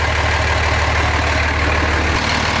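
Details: 2005 common-rail Cummins diesel in a 2008 Ford F-350 dually, warming up (reading 93 degrees), dripping: steady even low idle, no ticking or exhaust puffing, no exhaust leaks heard; healthy.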